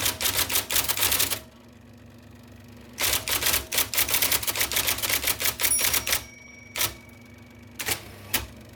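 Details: 1979 IBM Selectric II (non-correcting) typewriter, restored after a miswired plug, cleaning, flushing and lubrication: crisp, rapid keystroke clacks in quick bursts with a longer carriage-return run between them; normal, healthy typing.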